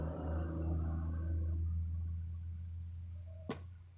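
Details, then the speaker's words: Pot lid lifting as steam pressure builds underneath; low steady hum then one sharp pop, mistaken at first for a rat in the wall. "There's steam building up and it's pressurizing and it's popping the lid off. And I was hearing this noise, I thought I had a rat."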